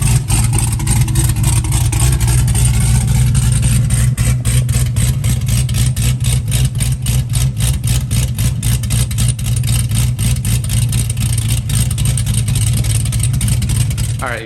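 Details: Fresh V8 build with dual throttle body, intake and wiring just installed, first fire-up: strong lumpy idle with even firing beat holding steady, no misses or knocks; healthy normal idle.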